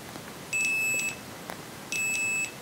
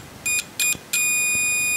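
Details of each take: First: Lidl multimeter for about 10 €, continuity test, probes shorted: two high steady half-second beeps, each starting a moment after a probe click; no tone on a brief touch, delayed continuity beep. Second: Multimeter whose continuity test and diode test share one range, probes shorted: three quick high chirps, then a steady high continuous tone that responds instantly; about 0.03 V drop across the test leads; normal continuity beep.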